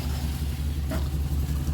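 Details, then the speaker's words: Chevrolet Express 1-ton van at idle: steady low hum under the engine, like a blower fan motor trying to run but stalled; noise stops when AC set to max, unplugging a connector didn't stop it; humming noise at idle. "like a fan motor is is trying to run but can't turn it to Max AC and it stops"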